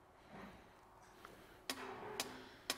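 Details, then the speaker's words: EGR valve driven by a Sykes-Pickavant EGR Valve Activator (30077500) 90-second clean and test cycle: sharp little clicks about every half second as the valve snaps open and shut cleanly; normal operation. "you'll hear it go through its cleaning cycle so open and close open and close so it's actuate in the EGR valve"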